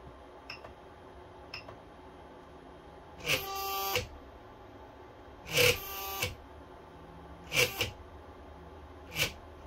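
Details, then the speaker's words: Aging 3D printer bed stepper motor: faint ticks then short harsh buzzing bursts every two seconds, pulsing without moving though bed slides freely; stalling caused by a faulty cable, not the motor. "let us go over real quick what it's like when a stepper motor begins to fail the problem may not be a stepper motor but the symptoms of it failing make it seem like something else is going on"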